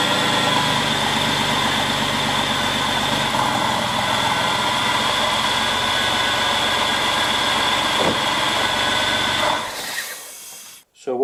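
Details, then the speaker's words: Porsche 911 996 C4S with a faulty power steering pump, belt still fitted: a steady high-pitched, supercharger-like howl rides over the idle at constant pitch and stops with the engine; worn, noisy pump, alternator also suspected slightly noisy. "it sounds like it has a supercharger on it basically going through the tunnels where you want to rev it and hear the exhaust no I hear this high high sort of speed howl of a of a power steering pump"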